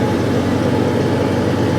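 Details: Off-road truck ("the Banana") after swapping out a heavy-duty competition transfer case with straight-cut gears that made gravel-like gear noise; steady, even low drone, no knocks or whine from the drivetrain; runs smooth and healthy.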